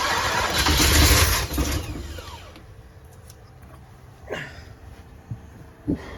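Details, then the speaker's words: 454 big-block V8 RV, first start after priming the fuel pump and fitting plug wires and vacuum lines, on a cold 27° day. A hard, labouring crank catches briefly then dies into uneven coughs; ignition timing set too far advanced. "where we're at on timing that's definitely too far Advanced"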